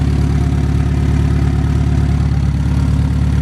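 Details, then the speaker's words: Honda S2000 AP1 engine warmed up at idle: fast even loud ticking, three or four per second, louder as it warmed; owner suspects valves or timing chain tensioner, not confirmed. "So as you guys heard that noise was pretty loud. You can hear it. It's like ticking. It's not nothing crazy. It's just ticking."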